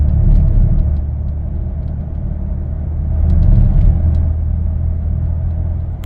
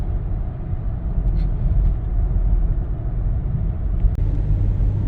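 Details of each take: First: 2015 Lincoln Navigator 3.5L twin-turbo EcoBoost with 6R80 transmission, driving under light load: deep uneven rumble pulsing like hitting rumble strips, vibrating the mirror; transmission shudder, cause not confirmed. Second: 2015 Lincoln Navigator, 3.5L twin-turbo EcoBoost, 6R80 transmission, after adding Lubegard Instant Shudder Fixx: climbing a hill at about 40 mph under light throttle, steady road rumble with no pulsing or judder, so the usual torque converter shudder is gone.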